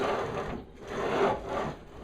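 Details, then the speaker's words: Harbor Freight 12-inch double-bevel sliding compound miter saw, item 61970, with only three linear bearings: gritty uneven rasping as head slides in and back on rails; rough linear bearings binding. "because it is rough rougher than anything you've ever seen so I'll address that take it back tomorrow even though I shouldn't have to"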